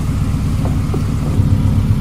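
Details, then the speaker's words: Honda Civic running again during its rebuild, idling: steady, even low rumble with no knocks or misses and nothing harsh on top, not grating even at idle; it idles cleanly. "Ang ganda ng tunog, no? Hindi siya nakakarindi kahit idle lang."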